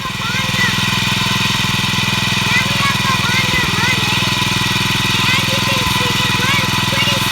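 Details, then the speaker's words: Salvaged Honda GX215 OHV lawn mower engine after fixing no spark from a broken safety coil and two carb rebuilds: runs at a constant, smooth speed with an even exhaust beat and no misfires; carb still needs tuning, slightly smoky. "smoothly. Not as smoothly as the Briggs & Stratton, but pretty smooth. I think this is a successful start."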